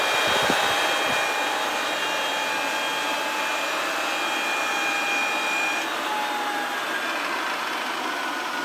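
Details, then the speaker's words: Rolls-Royce Dart turboprop dry cycle on 24 V, 500 A battery supply via start panel relay: smooth rushing airflow with steady high whistles sagging slightly as the starter lets go; spins freely, healthy. "so in theory we flip the switch on the start panel and we should get some magic happening inside the engine"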